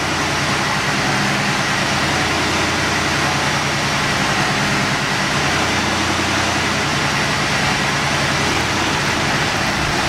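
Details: 1986 Mustang GT Fox body V8 after heater core reinstall: steady, even idle with a smooth low rumble and no knocks, misses or squeals; engine sounds healthy.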